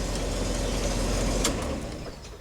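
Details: 2005 Jeep Wrangler after a crank-no-start, idling with a CKP sensor circuit code stored. Low steady rumble with no knocks or misses, fading off at the end. Normal idle.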